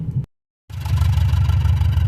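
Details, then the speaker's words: 2005 Chevy Impala also not shifting out of first: after a brief dropout, deep rough idle with an uneven lumpy exhaust pulse and engine shaking; misfiring, cause unknown, possibly computer. "It's definitely misfiring. Sorry if that was loud on the ears."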